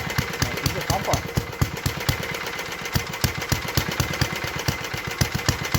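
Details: 1952 Clinton VS-700 single-cylinder push mower engine, revived after cleaning points, carburetor and a clogged fuel line, wheels and handle fitted; steady even popping beat with crisp regular firing, running clean and healthy at idle after tuning down.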